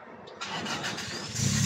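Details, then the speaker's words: 1994 Toyota Corolla small body, sometimes hard to start and sometimes stalls once warm: starter cranks a good while before engine catches and picks up; starts on second try, fuel pump suspected. "Napakaganda nitong sakyan na to pormado na siya yan hard start yan guys Oh pero umaandar siya pagka binabad mo na"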